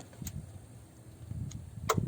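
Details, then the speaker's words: Honda CR-V with no A/C and 32 psi on a hot day; the actuation test gives a sharp click as the compressor clutch pulls in, proving the circuit is fine to the clutch; low refrigerant from a leak suspected. "Okay, clearly it's there. So what that test just did for me is to prove that the circuitry is A-OK all the way to the clutch."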